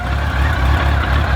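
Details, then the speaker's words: Yamaha 1300cc shaft-drive touring motorcycle, 50,000 miles: engine starts right up and settles into a deep, even, steady idle with no knocks or misses; runs healthy. "and it starts right up."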